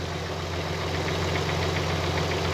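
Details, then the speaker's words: Nissan Z32 idling on the hoist with covers off during a coolant leak check: light regular knock over the idle from its pistons, described as a bit knocky. "Yeah, it's still a bit knocky with those pistons."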